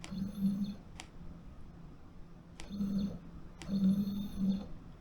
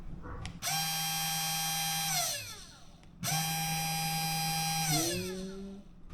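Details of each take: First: SainSmart Genmitsu 3018-PROVer V2 CNC router, axes jogging after power-on. Short bursts of buzzing tone with clicks between moves; X and Z sound strange, but this may be normal noise while driving. Stepper motor noise during axis motion, cause unconfirmed. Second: SainSmart Genmitsu 3018-PROVer V2 CNC router spindle motor running without load. Smooth, clean, very light whine that spins up, holds steady and winds down twice, no rattle or roughness. Normal spindle running.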